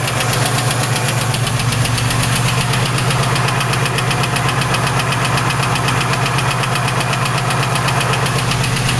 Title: 3800 Engine Knock